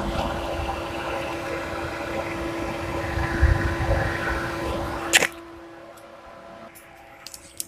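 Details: Mahindra Bolero condenser fan switched on with its red button: an even whirring hum with a steady low tone that cuts off cleanly when switched off; the condenser fan runs normally.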